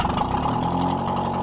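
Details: Moskvich Rila 1400 engine on the third start attempt after a rebuild catches and settles into a smooth, even idle with a steady low beat and no knocks or misses. Normal idle.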